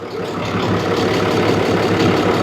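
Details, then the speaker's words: 2012 Ram 6.7L Cummins diesel with aftermarket S&B intake, condemned elsewhere for fuel in oil, warmed up to temperature: even, steady idle clatter, no uneven beats or puffing, oil cap stays put; normal idle, engine judged fine. "So I tend to think this engine is perfectly fine. To me, there's nothing wrong with this motor."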